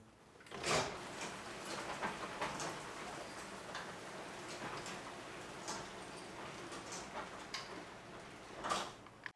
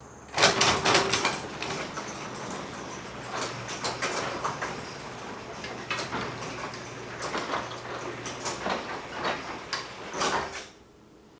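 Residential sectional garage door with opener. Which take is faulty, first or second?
second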